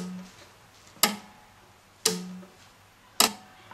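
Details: EF Johnson 500 ham transmitter after replacing a defective power relay (RY301) that had lost inductance and chattered. New relay exercised on the variac without 230 V connected: three crisp single clicks about a second apart, clean, with no buzz or chatter.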